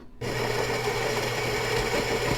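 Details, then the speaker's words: Philips 5400 LatteGo espresso machine, about two months old, grinding beans for a full-flavored 3 oz espresso with 6.8 oz foam: steady, even grinding buzz starting abruptly and holding without a catch; normal grinding. "Now we've got beans grinding up in the grinder."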